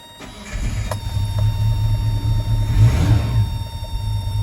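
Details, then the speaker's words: Truck with Weber carburetor and electric choke, cold weather, air cleaner off; engine catches and settles into a steady low rumble at about 900 rpm, too slow for a cold start; choke and fast-idle cam out of adjustment. "see how that is at about 900 RPMs but it's not right"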